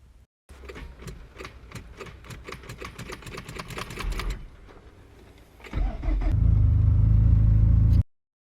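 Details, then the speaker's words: 2004 Nissan Altima 2.5L: string of sharp clicks about four a second, then a brief crank and the engine fires and holds; starter usually just clicks, starter replaced as the fix. "in my case it was the starter because every time I would go to crank it it would just click I'll put a clip here in a second"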